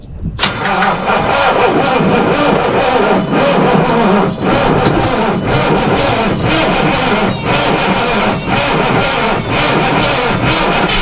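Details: Truck started in spring (March, snow, cold) after sitting 9–10 months; starter wires possibly loose: steady starter churning over ten seconds with a regular chug, never catching; long crank, no start.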